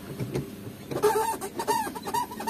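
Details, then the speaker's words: Manual transmission shift lever on a car (Honda-focused workshop) making short high ngik-ngik squeaks each time the lever moves between gears; cover opened shows the lever pivot is dry, needs lubrication. "terdapat bunyi ngik-ngik seperti ini ini biasanya di dalamnya sini kering tadi ini sudah saya buka cover covernya memang kering"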